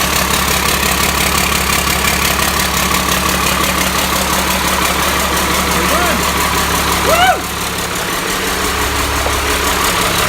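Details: Cummins 5.9 12-valve diesel, first start on engine stand, hot-wired starter, destined for a truck: steady even idle with smooth low hum, no knocks or misses; running fine.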